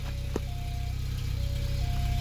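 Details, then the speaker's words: 1988 VW Jetta automatic, rusted out, idling: low, lumpy idle with loud puff and chuff on every firing pulse from a massive exhaust leak before the muffler. "okay usually it sounds a lot cooler it has a massive exhaust leak"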